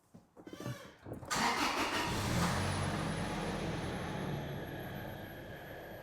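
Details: 2006 Toyota Tacoma 2.7 (P0171 system lean), suspected-fake replacement MAF swapped for a genuine Hitachi Toyota MAF: short crank, then the engine catches cleanly and settles into a steady, even run with no stumbling; healthy start.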